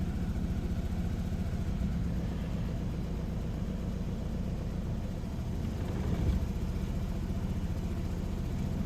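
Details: 2007 Saab 9-3 2.0T B207R, rough idle now on every start despite new silicone vacuum hoses, cleaned solenoids, EVAP and MAF, new battery and plugs: low, uneven lumpy idle with slight stumbles; cause not found.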